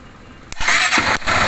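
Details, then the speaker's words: 2011 Honda Titan CG 150 motorcycle that would not start on electric start, tested with starter relay direct connection: starter whirs briefly, engine catches quickly into steady idle, some misses from poor contact; dirty battery positive terminal suspected. "vou acionar o start agora para ver se ela vai entrar em funcionamento ela ligou perfeitamente agora houve algumas falhas aqui até porque existe algum mal contato aqui também"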